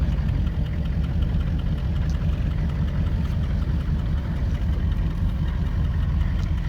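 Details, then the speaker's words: 1978 Chevy Malibu with swapped 6.2 L diesel, HX35 turbo, Turbo 400, 3-inch straight pipes, on a test drive: deep, steady diesel drone pulling smoothly with good torque, spooling up nicely, no knocks or rattles; healthy. "this thing's not a speed demon but it does pretty good with the torque and this being a pretty light car it takes off pretty good spools up real nice"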